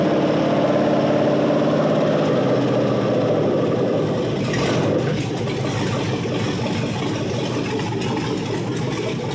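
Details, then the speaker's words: Cammed 6.0 LS V8 in a 1978 El Camino after new tune, no throttle input: catches and holds steady choppy cam lope about three pulses a second, crisp throttle response; normal cammed idle. "not even touching the throttle she's idling look at that healthy camp and check this out no delay on that throttle real crisp"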